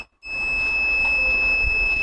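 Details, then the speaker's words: VC8145 bench multimeter (AC-powered, no battery) set to continuity mode: clean, steady high-pitched beep that starts abruptly and holds with no warble or dropout; continuity buzzer working normally. "So look, if I put it on continuity mode, you can hear the sound."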